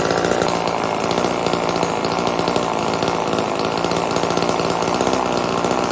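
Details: Old Homelite chainsaw, owner guesses 1960s or 70s, cutting wood after reassembly: loud, steady high two-stroke buzz holding revs, no stumbling or surging; healthy under load, though owner says it could run a little better.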